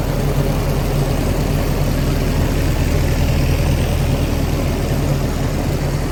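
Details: Willys-powered 120/240V 52 A Army skid generator, no load, good oil pressure, coolant low: deep even rumble holding steady, no misses, knocks or stumbles, no smoke; normal running.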